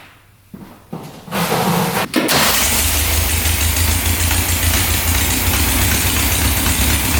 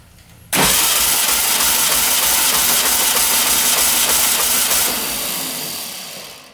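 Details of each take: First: 1967 Volkswagen dune buggy, non-runner revived, cranks, catches and settles into a heavy, slightly lumpy idle, smoking; automatic choke not turning off, stuck closed, running rich; owner guesses it should open once warmed via a sensor. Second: 1967 Volkswagen dune buggy flat-four cranking with compression tester on cylinder 2, held longer: steady even pulses; 160 PSI, good compression.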